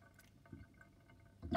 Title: Interesting kitchen sinkdrain with sinkplug 50.5 mm and gurgling sound